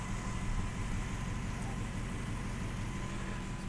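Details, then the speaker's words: Triumph Stag Mk2 with a freshly built V8 being run in at 124 miles; deep, even idle with a steady low burble, smooth and with no knocks or misses. "So we're going to fire it up. Listen to this awesome sound. Oh yes. That's amazingly smooth,"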